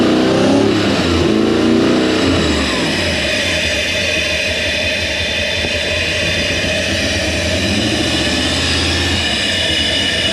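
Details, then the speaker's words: Toyota 1UZ-FE V8 swapped into a Land Cruiser; rough, lumpy running with uneven stumbling beat and hunting revs, some cylinders firing, others not, misfire from incorrect firing order; timing roughly right. "nous avons des cylindres qui fonctionnent nous avons des cylindres qui se produisent je ne sais pas lesquels certains mais nous avons du travail"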